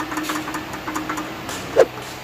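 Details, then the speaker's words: Kia Forte Hybrid, 234,000 km, idling with a loose tal-tal-tal tiller-like rattle from the worn torsional damper launch clutch between engine and transmission, typical after 100,000–150,000 km. "10에서 15만 킬로 정도 주행을 하면은 미션과 엔진 사이에 붙어있는 발진 클러치인 토셔널 댐퍼가 탈탈탈탈 하는 경운기 소음을 내게 됩니다."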